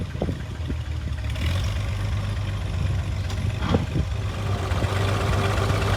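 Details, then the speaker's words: International 656 gas tractor idling, hunting and stumbling with irregular firing over a low rumble; float needle sticking in the carburetor. "Our float needle is sticking as it is overfilling with fuel."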